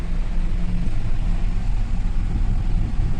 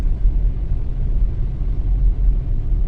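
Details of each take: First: Nissan Teana with uneven, lumpy shaking idle that stumbles when revved and won't accelerate; no fault codes, cylinder 3 injector found delivering 20cc versus 30cc on cylinder 4, causing misfire. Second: Nissan Teana after repair of engine shaking, stumbling and poor acceleration with no fault codes (throttle body O-ring and coolant leak addressed): road test with steady, even low engine rumble, no misses or surging, accelerating and running normally.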